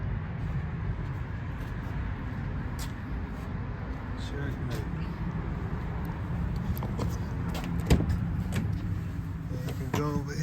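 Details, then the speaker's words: Mercedes C300 with P0306 cylinder 6 misfire, after replacing ignition coil and spark plugs: low even rumble with steady beat, no stumble or shake; engine now idles smoothly. "have a good steady no shape and you know they'll fix it I have no shake anymore"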